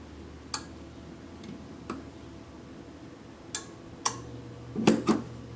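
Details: Samsung refrigerator compressor, plugged in after trying to jump-start it by shorting at the capacitor after the third relay click: a handful of sharp relay clicks, then only a faint low hum that never builds into a run; failed compressor won't start.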